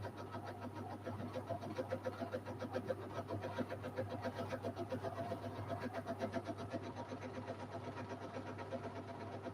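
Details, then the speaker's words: Washing machine running a wash: a rough, pulsing rumble about three to four times a second under the drum noise, as the drum bearing starts to grind. "Funny, you can hear the bearing trying to behave, but now it's gonna ground."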